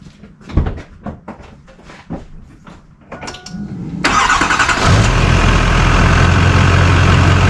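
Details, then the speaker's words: Duramax diesel truck, already warmed up, after a new transmission oil cooler was fitted to fix transmission overheating when towing: a few clicks, then a prompt start into a steady, even idle with no knocks, a normal start and idle. "and uh it ran just great so i'll go ahead and start it up for you"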